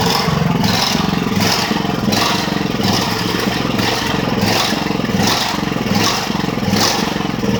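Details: Ridgid generator with Honda GX390 engine, finally starting after repairs: speed surges and sags about every three-quarters of a second instead of holding steady, plus a noise probably from a loosened part; engine hunting, cause not confirmed.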